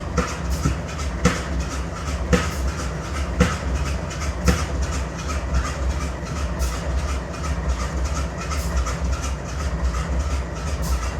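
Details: GE Dash-9 C44-9W locomotive BNSF 5144 idling with a misfire, sharp pops about once a second in the diesel rumble, and excessive smoke.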